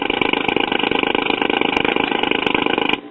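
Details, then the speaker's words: 1950s tube record player with added ceramic cartridge: harsh rasping buzz over fast pulsing flutter at high volume, then faint hiss; amplifier oscillation, to be cured with a bypass. "we gotta do a little bypass to get rid of that noise we were getting."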